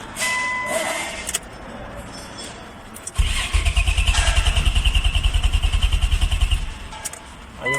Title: Nissan maxima 2002: crank no start P1320: P1335 CODE